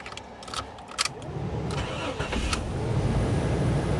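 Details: Dodge/Chrysler/Jeep with a no-crank fault, after replacing the ignition switch; the chipped lock cylinder was the actual fault: key clicks, brief crank, engine catches cleanly and settles into a smooth idle; starting is healthy.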